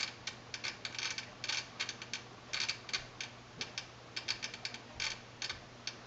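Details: Long-in-the-tooth Sony STR-DA555ES AV receiver suddenly started clicking while watching TV: irregular bursts of sharp, crisp clicks, several per second, like a relay chattering inside, fix not yet known.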